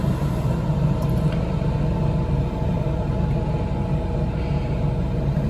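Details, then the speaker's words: 2023 Coachmen Nova 20C's Cummins Onan generator after the recall fuel-line hose replacement for vapor-lock stalling, powering the Truma A/C on cool low. A steady deep drone without surging, hunting or stalling; it runs smoothly. "right now the generator is still running no issues"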